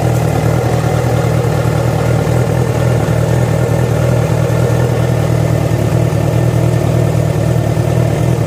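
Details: Yamaha FZ6 at idle, deep and steady with an uneven beat about twice a second underneath; the strange noise started after riding about 70 km on two cylinders due to a failed ignition coil connector. Cause unknown.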